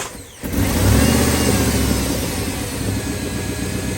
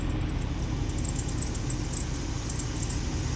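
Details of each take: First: Jeep WJ after the accessory drive pulley bearings were greased: the engine catches and settles into a smooth, even idle with no chirp or squeal; the chirp is gone. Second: Jeep WJ hot after about an hour's drive: faint, quick high-pitched chirps repeat over the steady engine rumble from the lower accessory drive; the dry bearing was traced to the idler and tensioner pulleys, which were later removed for greasing.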